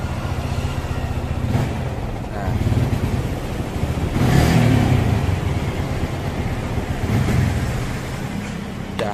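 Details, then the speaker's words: Yamaha Vixion motorcycle that dies when the throttle is opened: idles, then stumbles and bogs toward stalling; the tank and throttle body are to be cleaned. "saat ini kita kedatangan vixion.old ya ini kendalanya saya Hai kalau digas mati-matian"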